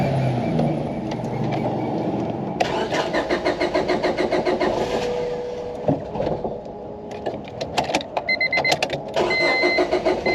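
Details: 2002 Honda Civic DOHC VTEC 5-speed, unrun for over 10 years, after new water pump and fuel pump: starter cranks with quick uneven chatter, then the engine catches and settles into a rough but running idle.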